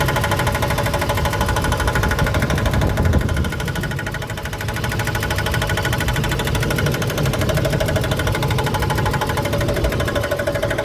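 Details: Truck idling in park right after start-up: steady knocking about three beats a second, seemingly front driver's side, not engine; stops in drive, returns with brakes applied; gauges and lights normal; cause unknown.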